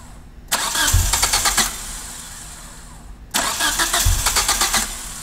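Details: 1G DSM after a top-end engine rebuild, with a failed TCU: two long, even cranking bursts that don't catch cleanly. It is a hard start, with the fuel-air mixture running rich and idle surging.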